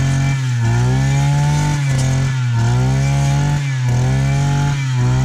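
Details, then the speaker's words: Brush cutter with a two-stroke engine, fuelled with four-stroke fuel plus a little makeshift oil. It tends to be hard to start but runs all right once going. Buzzy two-stroke note rises and falls with the throttle about once a second, picking up cleanly: normal running. "This tends to be a little bit hard to start, but once it's started, it runs all right."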